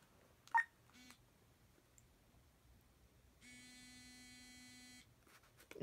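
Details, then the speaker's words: Talking currency reader failing on a bill: quiet room, then single flat beep about 1.5 seconds; error alert, bill not read. "oops I did something wrong so and you heard it say error"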